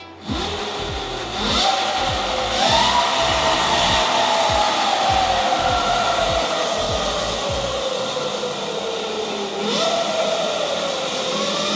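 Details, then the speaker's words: Electric bike motor on a Symbyote 12FET controller in sport mode (two beeps, current allowed up to about 200 A): clean whine climbing in pitch, smooth with no stutter or cutout, over background music; normal motor whine under full power. "Another mode is the sport mode. You will hear two beeps, and now the power will go quite up, like up to 200 amps."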